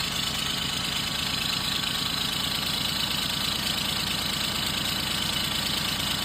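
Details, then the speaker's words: Engine at idle, scanner showing a system-too-lean oxygen sensor code, smoke from the back. Light, uneven tapping about three times a second under a hissy background; knock present, cause unconfirmed, with a suspected exhaust leak. "Yeah, I I think the knock is on as well."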